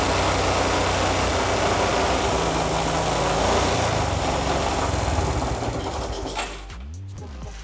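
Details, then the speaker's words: Old cheap motorcycle idling after starting: rough, clattery uneven beat about three per second under loud mechanical rattle; noise from worn engine, not exhaust; carburetor suspected faulty. "motornya bisa nyala cuman udah langsam Suaranya berisik banget bukan gara-gara knalpot tapi gara-gara emang udah ke tersebut di kode sore tadi"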